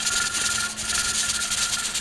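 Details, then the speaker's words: Pressure canner with the weighted valve set at 10 psi, canning field peas, just come up to steam: loud steam hiss with fast nonstop rattle, too much from excess heat, so the heat is turned down to slow it. "this is what the topic valve looks like when it's rattling you hear it rattle and it's not supposed to rattle this much you've just come up to steam so speed"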